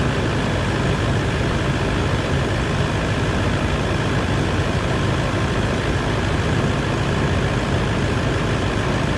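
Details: 200 Series LandCruiser diesel idling just after a new water pump was fitted and coolant refilled, warming toward thermostat opening. Steady, even low rumble with no knocks, ticks or squeals. Healthy normal idle.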